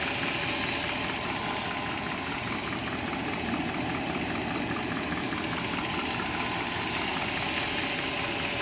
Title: 97 540i M62 Timing Chain Rattle?